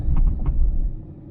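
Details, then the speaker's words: 2000 Toyota Celica 1.8 GT driven over speed bumps after hitting a pothole; a few dull low thumps from the right-hand front suspension; owner suspects a failed rubber bushing or ball joint. "but you hear the zone every time i go up and down on a speed bump here right hand front"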